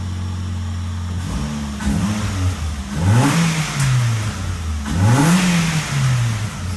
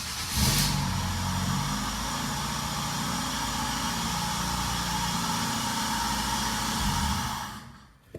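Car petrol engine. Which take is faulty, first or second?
second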